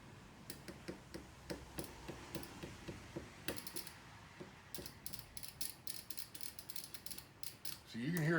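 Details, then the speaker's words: Fuel injector on homemade cleaning tool (valve stem, JB Weld, cleaner straw), tapped on with positive and negative leads: crisp light clicks, about three a second then irregular, each pulse; you can hear it activate, opening properly. "you can hear it activate."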